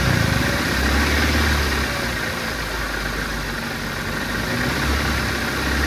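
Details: ECCS Nissan Sentra after a crank-no-start repair, spark plug cleaned and timing advanced slightly: idle rumble swells and sags every few seconds and the engine later stalls, so it is hunting and can't hold a steady idle. Idle system still to be addressed.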